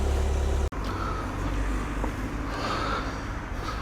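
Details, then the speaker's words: VW Passat B8 2.0 diesel 110kW (11/2020), after thawing about half an hour on a cold morning: steady low idle rumble, alternator belt no longer squealing; earlier squeal blamed on high morning charging load making the belt slip. "як чуєте вже не свистить ремінь на генераторі струм зарядки зранку особливо коли машина довго стояла завжди більший"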